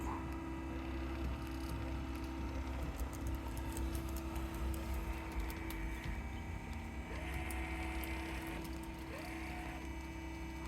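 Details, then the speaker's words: Trolling motor on a 2021 Carolina Skiff 21LS, 24 V battery (25.6 V) via newly installed Battery Tender plug, at full power setting 10: constant hum with no grinding, rattles or wavering; runs normally. "And we'll go all the way up to 10. Alright, so it's full power. Alright."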